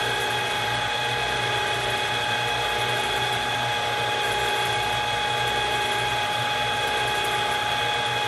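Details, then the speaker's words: Bolton Tools ZX32GP bench-top mill after quill bearing and seal replacement, running at high speed for 15–20 seconds each direction: steady high gear whine whose whirring mesh swells and fades cyclically from the cluster shaft. "hear the cyclical of the cluster shaft"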